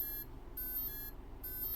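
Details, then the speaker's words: RC boat brushless motor on bench test with ESC: repeating high beeps in short bursts, motor silent; ESC won't arm because throttle trim isn't at zero, beeping stops as trim is dialed in. "until the motor starts oh beeping just stopped no no so you could slowly dial that Trim in until until you hit zero"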